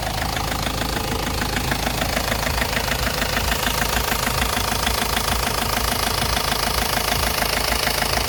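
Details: Ford Focus Mk1 1.8 TDDi diesel: even knocking about two per second over a rough idle; a clear knock, source not pinned down, later solved.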